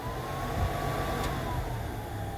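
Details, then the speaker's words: 1965 Ford C850 truck, former fire truck: cab heater blower on defrost setting (separate switch for cab heat), steady even fan rush with faint constant whine, no rubbing or ticking; heater works well, normal blower operation. "you hear the heater fan. That's defrost, and then there's a separate switch for the cab heat."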